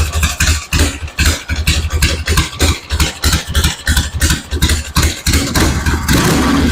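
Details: 1974 Harley-Davidson Ironhead Sportster chopper on battery charger: lumpy idle of uneven pops about three a second with beats dropping out; owner suspects the ignition is cutting out, fuel seems present.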